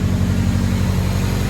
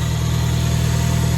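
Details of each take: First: 1974 Fiat 124 Spider with swapped K-series engine, first start, engine still cool, possible vacuum leak suspected, AFR high; steady deep low burble at idle heard from the rear at tailpipe, smooth without misses; idle probably about right. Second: 1974 Fiat 124 Spider with swapped K-series engine, first start, idle screw moved; steady fast idle with even low drone, no misses, RPM too high per gauge; idle could probably be lowered.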